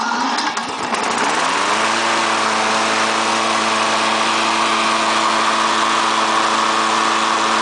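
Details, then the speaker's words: Briggs and Stratton lawnmower engine, push-button start, after repair of stuck exhaust valve and broken plastic cam gear that caused no compression: cranks, catches within a second, steady even high-pitched drone, no knocks or misses; normal running. "push there we have it all fixed up"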